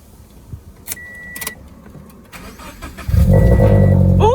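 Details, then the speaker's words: Subaru BRZ/Toyota FRS/GR86 FA20 boxer engine, first start after replacing spark plugs and refitting coil packs; door and key clicks, brief crank, then clean catch into steady, even idle; normal start. "All right, now that it finally starts again, I'm so happy."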